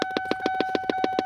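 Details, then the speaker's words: 2002 Lincoln LS V8 with the key in the ignition: rapid even popping, about seven a second, over a steady electronic tone from a large aftermarket speaker under the dash; unplugging the speaker stops the noise, and its purpose is unknown. "speaker is actually where the sound is coming from. Very large, actually. Gaudy, surprisingly. Under a Lincoln LS. So I reach over here. Unplugged it. And the noise stops."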